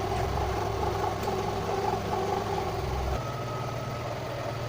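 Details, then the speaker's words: Engine idling with the MAF air-flow sensor unplugged: steady idle hum dips and drops in note as it briefly stumbles, then quickly recovers and settles; idle stumble with MAF sensor unplugged. "13 çıkardığımı biliyorsun bir bayılıyor ondan sonra kendi hemen çabucak okuyor"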